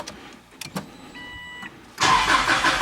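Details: 2004 Subaru Legacy Outback wagon after in-tank fuel pump filter replacement and priming: a few quiet clicks, short pump hum, then the engine catches cleanly into a smooth idle; healthy start.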